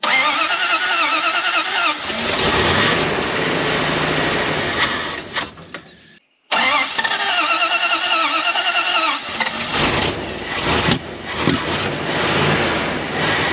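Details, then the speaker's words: Dump truck, Dodge W300 or Oshkosh, restarted after sitting since last year with gas splashed in the carburetor: starter churns steadily, engine catches only briefly before dying, twice over; fuel not reaching the carburetor, fuel pump suspected. "seems like the fuel is not getting to the carburetor they're not running long enough"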